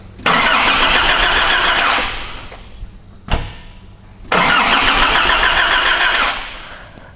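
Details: 2005 Nissan Navara D22 with 3.0 ZD30 turbo diesel (rotary injection pump, not common rail): two bursts of steady starter cranking, about three to four turns a second, and the engine never catches; cranks but won't start.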